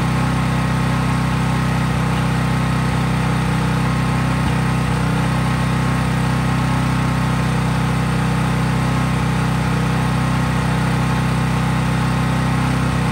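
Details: Craftsman 5000-watt generator, cold-started outdoors, at constant governed full speed with just an LED bulb connected, so no load: a smooth, even hum without hunting or misses. Healthy, normal no-load running.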